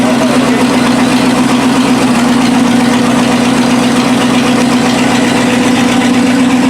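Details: 1956 Lincoln Y-block V8, warmed indoors and fired up after removal from a tower: loud, steady idle with even low rumble, no knocks or misses; normal idle.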